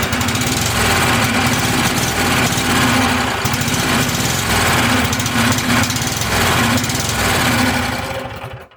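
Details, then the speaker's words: Tecumseh engine on a Weed Eater TVT691 garden tractor, cylinders oiled, oil drained, spark plugs refitted, cranked before adding fuel: brisk, even cranking at about four beats a second; strong, healthy turnover with good compression. "That's actually good. Yeah, it sounds good."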